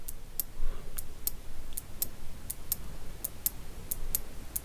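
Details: Relay bench test, coil pins energized and released from a battery by hand: sharp dry clicks, two or three a second in an irregular pattern, each one the armature snapping against its contact; normal relay click.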